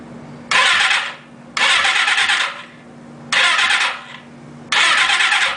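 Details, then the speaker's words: Suzuki GS550 just reinstalled after an oil-leak repair, cranked on a jump box with no fuel tank or fuel: four short starter bursts spinning the engine briskly and evenly without firing; turns over normally. "Sounds like it's turning over. Alright, so I'm gonna probably put the fuel tank back on it, hook it up."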